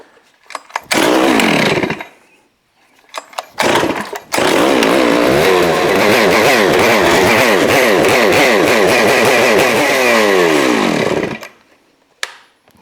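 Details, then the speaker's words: New Neotec 892 Stihl-clone chainsaw, first start after assembly: catches on choke, then runs rough and uneven, revs surging and sagging before dying; low-speed mixture screw set wrong from factory at four. "okay so the low is definitely not where it should be they had it at four"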